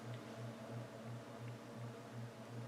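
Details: Alaron ceiling fan, polished brass, on low after manual spin: low hum pulsing about three times a second, uneven wobbling drone as it turns slowly and nearly stalls; vibration, failed capacitor suspected.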